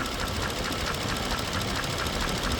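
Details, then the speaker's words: Mercedes-Benz W220 S430/S500 that had sat 18–19 months, idling after an oil change with an engine restoration flush: a light, quick top-end tick in time with idle over accessory whir, quieter than before; source unclear. "So let's go back to idle. I can still hear that little bit of that tick, or for lack of a better phraseology, that knock, but it is considerably more quiet."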